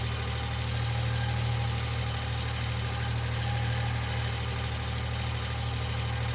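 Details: 1995 Geo Metro at steady low idle: light, fast, even ticking that keeps pace with engine speed, like a noisy lifter. B-12 fuel injection cleaner is added to the engine oil before an oil change.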